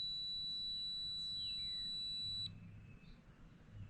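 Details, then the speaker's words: Methanol tank float switch tested with a multimeter on continuity, float down and fluid low: steady high beep that cuts off cleanly when the float is tilted up; float switch working. "so what you should hear when the float is down and your low on fluid is the multimeter should beep and if the water raises up the beep should go away so [Music] i don't know if you can hear that but it's definitely beeping and the water is definitely low"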